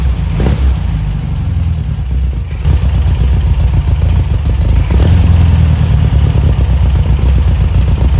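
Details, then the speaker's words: 1973 VW Super Beetle 1303 air-cooled flat-four, after 15 years outside, carb idle mixture screw bottomed then backed out 2.5 turns: rough, chuffing engine running on its own with a few blips; keeps running, engine healthy. "Okay, mission accomplished. This engine is actually not trash."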